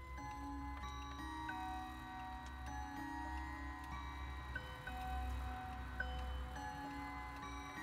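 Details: Howard Miller 612-581 triple chime regulator wall clock after replacing the broken time-train spring and barrel and fitting a new suspension spring, cleaned up: steady, even ticking with clear bell chimes ringing cleanly; runs normally.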